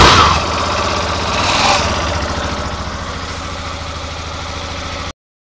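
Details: Yamaha Fazer 250 Blueflex 2013/14 with 6000 km: on the first cold start of the morning, a harsh creaking rattle as the engine catches, then a pulsing idle. The starter clutch was replaced and the noise disappeared.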